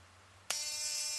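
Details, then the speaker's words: 555-based ignition coil driver with a 103 capacitor: sharp steady high buzz with no snapping sparks; the coil is driven but the electrode gap is too wide until moved closer. "You hear the noise it's making. Turn it off, pull this a little closer to make it connect"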